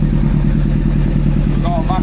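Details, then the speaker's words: Old four-cylinder four-carb motorcycle with no exhaust fitted: lumpy, uneven idle from an air leak on cylinder number four, a split vacuum pipe, also blamed for earlier random flames; vacuum leak. "leak on number four which is obviously offsetting why it start to [ __ ] run like this"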